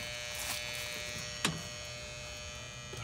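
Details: Old single-phase HVAC condenser, three-pole contactor with 24 volts: sharp contactor clack then steady electrical buzz with no compressor start; megohmmeter reads zero from common to ground, compressor shorted to ground.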